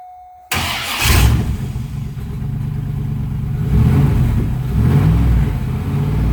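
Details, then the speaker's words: First start of a freshly installed LS6 V8 after priming oil pressure with the fuel pump fuse pulled and adding 5 gallons of gas: starter whirs briefly, engine catches at once and runs steady through light revs; normal start and idle. "Sounds pretty good. All right. Hey, it runs and it sounds great."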